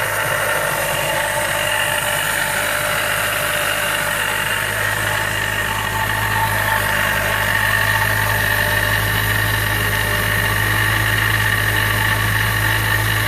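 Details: Mazda Miata with Jackson Racing M45 supercharger at even idle: persistent high-pitched whir and rough hum from the blower area; owner suspects bad supercharger bearings, not confirmed.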